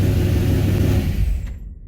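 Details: 1978 Ford Courier, engine started briefly after Davies Craig EWP-150 electric water pump install, alternator reading 14.1 V, carburetor rebuilt, cold weather: smooth, even low drone with no knocks or misses, then fades quickly at shutdown; normal running.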